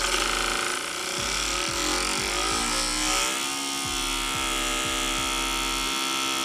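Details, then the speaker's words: Eberspacher Airtronic heater on a test bench in ventilation mode, factory fault: fan whine climbs on spin-up with a steady tick about twice a second as the blower fan rubs against the ECU; fan to be replaced. "Yeah, this is the problem. The fan is touching the ECU."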